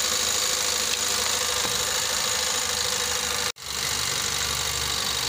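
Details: 2017 Nissan X-Trail T32 non-hybrid, complaint of rough running and hard starting (P0335 crank sensor), plugs recently replaced elsewhere; warming up during ignition checks: steady, even idle with hissy top end, no misses or stumbles; normal idle.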